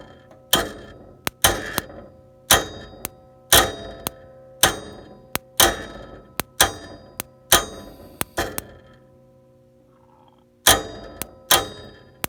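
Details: Bryant (Day & Night) 395B gas furnace, intermittent no-start: sharp clicks with short metallic ring about once a second, inducer fan not spinning up; traced to failed inducer fan control board HH84A0007.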